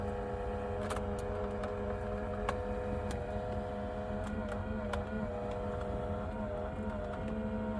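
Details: Pioneer NEX car radio, owned a couple of years, gives a steady fairly loud whine with faint clicks and slight pitch wobble during start-up; the noise is getting worse.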